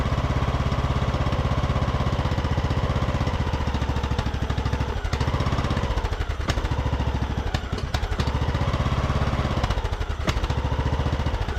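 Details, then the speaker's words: Craftsman YT3000 riding mower abandoned about 4–5 years, after draining gas-filled cylinder, running on bottle-fed fuel; fast, even single-cylinder putter at steady speed with very quiet muffler, no misses or knocks; sounds super healthy and smooth. "all right well I would call that a win right there of sounds super healthy and very smooth that muffler is really quiet on here as well"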